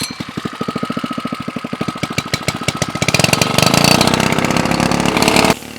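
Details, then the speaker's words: Pacer 2.5 hp four-stroke gas water pump with throttle screw turned up higher: uneven single-cylinder thumping that quickens and turns harsher as it revs; rough running, owner suspects the carb air-fuel mixture needs adjusting. "It doesn't sound like it's it's running perfectly. Like I might have to do some air fuel adjustments on the carb when the pump's revving up like that."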